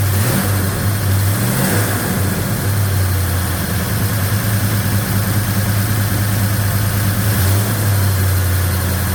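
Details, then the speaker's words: 1956 Chevy Bel Air 307 V8 with a hydraulic cam, restarted with the valve covers back on: a fast idle with a busy, ticking top end. Valve train still noisier than it should be; timing is over-advanced, over 40° when revved. "That valve train is still noisy for my liking."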